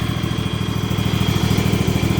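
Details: Husqvarna small engine on a frosty morning, about 33 degrees, with the battery charged overnight at 2 amps. It had failed to start at 30 degrees until the valves were adjusted. Now idles with a quick, even low putter and steady pulses, no misses or knocks; runs clean and healthy.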